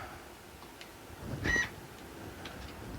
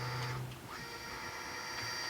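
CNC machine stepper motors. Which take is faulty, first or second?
second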